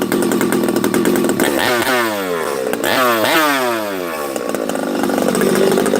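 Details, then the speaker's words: Freshly rebuilt Husqvarna 371xp chainsaw, roughly stock compression, first runs: it blips up and falls back with uneven burbling four-stroking. It is loading up slightly rich on leftover assembly oil in the bottom end. "I think still got oil in it you can hear it it's loading up just a hair"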